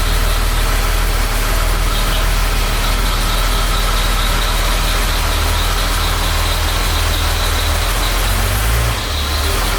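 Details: 1975 Jaguar XJ6 six after head rebuild by machine shop: steady, even warm idle with no ticks or knocks; oil pressure about 45-50 psi idling at temperature, engine healthy.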